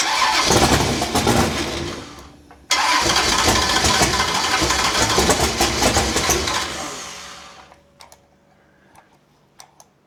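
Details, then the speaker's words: Big block Chevy V8 in a Holden HQ Summernats build after fitting valve covers with neoprene gaskets; fires straight up, loud even rumble several seconds, then shuts off cleanly, great oil pressure. Normal start-up and run. "Well, sounds good. Fucking good enough for me."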